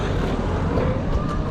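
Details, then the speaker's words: Rear freewheel cog cleaned, greased and oiled with 3-in-1 style oil after motor maintenance on a C5: smooth steady rolling rumble with no clacking, squeaks or grinding, drivetrain now much quieter and healthy. "i also put um a load of uh traditional uh lubricating oil like three in one style oil into the freewheel cog and uh it's made such difference it's so much quieter"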